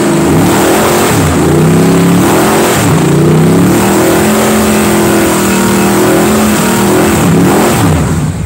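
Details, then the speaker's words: Old V8, first start of 2019 after setting the valves: revs up and down smoothly and evenly with no knocks, ticks or misfires; sounds sweet now, probably because the metal has warmed up. "right huh laughing sounds sweet now how's that noise well must be the metal warmed up"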